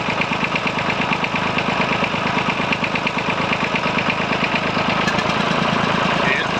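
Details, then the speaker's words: Massey Ferguson 35 three-cylinder diesel from the 1950s idling lumpy with occasional stumbles and popping, smoke puffs; intermittent misfire always on the same cylinder even after swapping injectors, owner suspects the fuel pump; cause not confirmed. "I'll let you hear when it starts it start to sounds like it's misir which I think it is"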